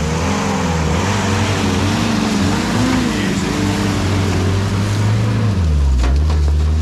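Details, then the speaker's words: WW2 jeep driven around a farm in winter: low engine drone with transmission gear whine rising and falling with road speed; healthy. "Got to listen to the engine and the wine of the transmission. It's cool."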